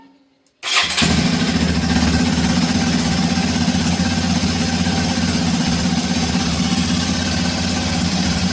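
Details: Hero XPulse 210 single, about 3825 km, near second service, idle after start: quick start then steady, even idle with no ticking from the valve train; no tappet noise, engine very smooth.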